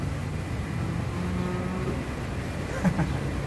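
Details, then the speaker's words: Sentra making a noise while the steering wheel is turned, described as a cow-like moo. Low, drawn-out moaning hum rising and wavering over the idle; a steering-related groan, cause not yet found. "É um barulho parecendo um mugido de boi, galera, ó. Olha só. Esse carro aqui tá mugindo, galera."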